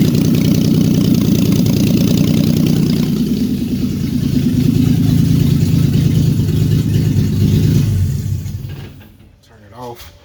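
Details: VQ35DE-swapped Datsun 260Z on its first day running after ECU and fuel-pump wiring. Loud, raw V6 idle with steady, even throaty pulses for eight seconds, then shut off; runs clean, just unmuffled.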